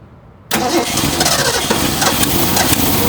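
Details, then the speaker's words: 1966 Mustang V8 first run, with a fuel problem and needing a carburetor: it catches and runs rough, with sharp, irregular pops over an uneven idle from a tiny hole in the exhaust manifold. Exhaust manifold leak. "And that popping noise? It's the exhaust manifold. It has a hole in it. It's got a tiny little hole in it."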